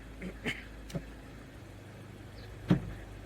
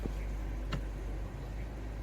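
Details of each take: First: 2017 Mazda 3, 6-speed SkyActiv-Drive automatic (FW6A-EL), just after a transmission fluid and filter service and warm-up: steady low idle with dull thuds, then a solid clunk when shifted from drive to neutral, a harsh engagement that did not recur. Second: 2017 Mazda 3, 6-speed SkyActiv-Drive automatic (FW6A-EL), warm idle after transmission fluid and filter service; faint selector click as it engages smoothly. It clunked on the first drive-to-neutral shift but no longer clunks, including into reverse.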